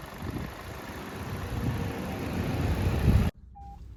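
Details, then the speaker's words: 2021 Maruti Ignis petrol, about 20,000 km, idling after water pump replacement and coolant refill: a steady, even low hum for about three seconds with no whine or knock. The abnormal noise is gone. "ഒരു sound പോയി ട്ടോ"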